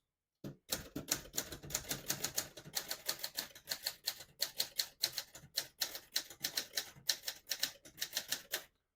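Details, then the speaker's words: Serviced 1972 Adler J2 portable typewriter typing on single spacing: crisp even clacks about four per second, no missed strikes or sticking type bars; all keys type cleanly, working normally. "As you can see, all the keys type nice and none of them skip or stick."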